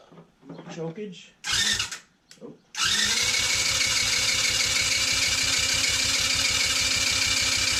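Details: TaoTao 110cc not starting: spark confirmed, starter cranks with a fast even beat about four per second but never catches; compression measured around 70 psi, almost none; owner suspects something loose, plans to try tightening the head.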